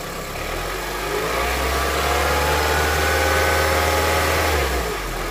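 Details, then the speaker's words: Honda CR-V at 200,000 km, warm engine on first start after switching from Mobil to thicker 10W-40 oil (old filter kept): steady light knock at idle persists unchanged through a rev; thicker oil didn't help, cause unclear. "Ну что я могу сказать эксперимент удался и не удался короче на более густом масле ничего не происходит всё тоже самое стучит так"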